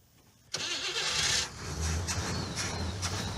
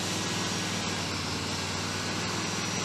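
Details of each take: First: '77 Cadillac Eldorado carbureted engine with a small electric fuel pump, hose primed: the starter cranks evenly for several seconds at about three pulses a second and never catches. The pump isn't lifting fuel, so there is no pressure or flow: crank, no start. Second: 1977 Cadillac Eldorado V8 during Hydro Boost bleeding: freshly started, settles into loud, steady, even run with no knocks or misses; sounds strong and healthy.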